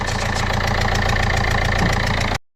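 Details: Ford Fiesta/Fusion TDCi diesel at idle: rhythmic puffing chuff at each firing over the clatter, injector chuffing from leaking sealing washers; fixed with four new copper washers and carbon cleaning.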